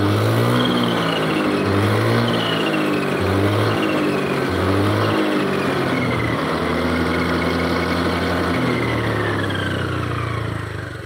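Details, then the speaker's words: Honda Beat ESP scooter after bearing replacement, with an earlier weak-power and smoking problem now fixed: a thin, high whine rises and falls with road speed over the engine. Final drive gears whining. "terus ini hasil suara mesinnya tapi ini gardannya bunyi nguing"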